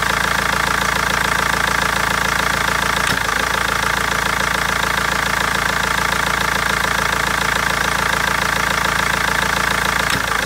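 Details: BMW 320d diesel with a sharp, regular knock about twice a second at idle and a couple of brief stumbles from misfiring; injectors or tappet suspected, cause unfound after over a month.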